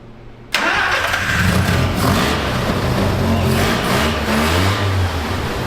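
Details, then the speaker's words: 1974 Mazda Rotary Pickup, vacuum leak likely still present: catches right away, revs and runs fairly evenly and smoothly, suggesting both rotors firing. Normal start and running. "now we will probably still have our vacuum leak but if we hear both rotors healthfully we know we're on the right track at least"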